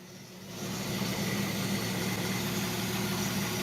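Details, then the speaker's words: 1967 Ford Mustang running for the first time on a new American Autowire harness: smooth, even idle with a steady low rumble, no misses or knocks; ignition and neutral safety switch confirmed working. "But she's running. It means the ignition part is all good. It means the neutral safety switch is all good. So, yay. I'm happy to get her purring again."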